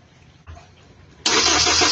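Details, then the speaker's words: Hyundai Tucson cranking no-start: starter whirs steadily and engine turns over but never catches; no injector trigger pulse during cranking, so the mechanic concludes the ECU is faulty. "Ayan mga paps, walang kumikislap-kislap. Walang kumukuti-kutap. Ibig sabihin sira yung kanyang ECO ha."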